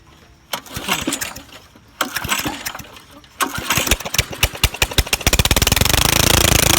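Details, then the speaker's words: Old lawnmower that sat about five years, muffler removed, wrong carburetor fitted, started with starter fluid; head gasket reportedly bad: hard pulls and coughs, then fast sharp raw popping bark with no muffler. "yeah so i finally got this thing to work and that's what it sounds like with this old crusty muffler off there"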